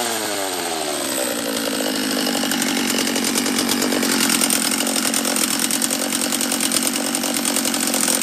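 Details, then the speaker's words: Refurbished Husqvarna 44 chainsaw during its second heat cycle after reassembly, still leaking fuel near the fuel line and petcock: it revs up but burbles and stumbles unevenly. It was running rich, so the carb screw is turned back about an eighth of a turn. "oh it was rich that's what it was let's turn it back a eighth of a turn or so"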